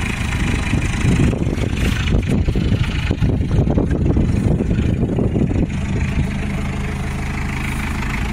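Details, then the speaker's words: Isuzu P'up turbo diesel four-cylinder mini truck, first run after 28 years sitting, on parts-washer fluid: busy start settling into steady, even low diesel clatter without knocks or misses; normal idle. "listen to that thing run on Parts washer fluid and it's idling even"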